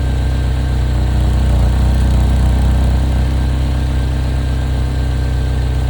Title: Chevy Equinox Notorious Exhaust Leak #automobile